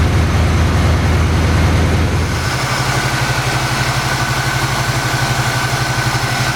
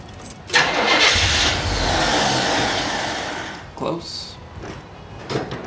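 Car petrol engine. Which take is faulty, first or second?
second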